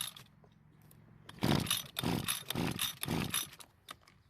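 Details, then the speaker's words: John Deere garage-sale two-stroke trimmer that won't start, spark tester inline: four rope pulls spin it with no firing or catching; no spark seen. "it looks like we have a huge problem now as I didn't see any spark"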